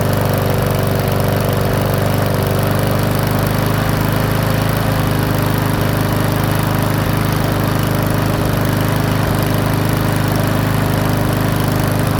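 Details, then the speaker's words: Powersmart 170cc mower (hard to pull, valves adjusted); governor tab bent to raise speed from 2900 to 3100 rpm. Strong, steady low single-cylinder drone holding even governed speed, no surging or misses: normal running. "all right so just a really minor um adjustment on that actually brought up to 3100 RPMs and I know that's suitable for some lawnmowers and I'm thinking it's suitable for this one"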